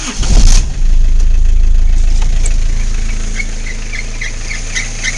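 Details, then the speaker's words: Isuzu I-Mark cranks and starts, then a thin, high chirping squeal rides over the idle from the slipping fan belt, which is to be replaced with a new belt. "you hear the squeaky belt you got a squeaky belt to fix"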